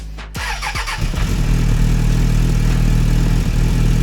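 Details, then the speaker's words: 1996 Suzuki Bandit GSF600S, warm after running, following new jets and air-fuel tuning. A short crank, then it fires at once and holds a steady, even idle with no stumble. Normal warm start. "And I bet right now we'd start right back up. Should. No question."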